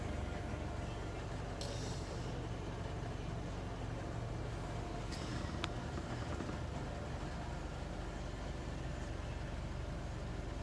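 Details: Low, lumpy diesel idle on a 2017 (67-plate) Nissan NT400 Cabstar after about 5 minutes' running, stationary with no pedal input; misfire at idle, and the dealer found no fault three times.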